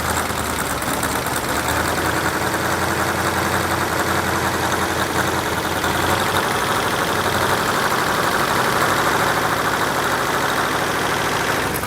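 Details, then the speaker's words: Rebuilt Ford V8 from a 1972 Pantera, running and fully warmed up: loud steady V8 note with raspy, uneven puffing chatter; exhaust header leak at the cheap header gaskets supplied in the engine kit. "all right well we got the engine running got it warmed up real good and if you could hear it you could hear the headers leaking and I purposely used the cheap header gaskets came in the engine kit"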